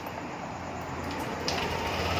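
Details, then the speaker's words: Yamaha New Aerox scooter, just started after repairing a broken wire that had disabled the speed sensor and ISC: steady, even idle hum with light mechanical hiss, dropping on its own as the ISC works again, no knocks or misses; normal idle. "Nah dia turun dengan sendirinya ya berarti isinya udah main normal awal hidup dia"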